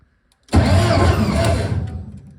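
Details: Car project about three years in the making, wiring nearly complete, near first start; starter catches straight away and spins the engine strongly about two seconds, then fades evenly; normal healthy cranking.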